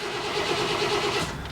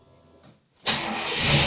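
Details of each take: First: Chevy work truck, 154,000 miles, lost power then very hard starting; starter cranks about a second without catching, then a click. Fuel pump faintly heard running; cause was a fuel hose off the pump, not a bad pump. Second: Chevy work truck that lost power and wouldn't start, suspected bad fuel pump but not the pump: quick crank and catch, steady idle with brief rev, air box unplugged, some air bubbles in a fuel line; starts and runs smoothly.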